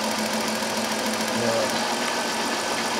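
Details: 2002 Chrysler Town and Country 3.3L after replacing the ignition coil for a P0305 cylinder 5 misfire: steady, even idle with no stumble, shake or skipped beats; normal idle.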